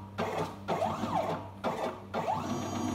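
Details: Stepper motor on a small Arduino CNC-shield router during motion and torque calibration: a firm stepping whir in even back-and-forth passes about every three-quarters of a second, pitch sweeping smoothly. Axis drives strongly, normal operation.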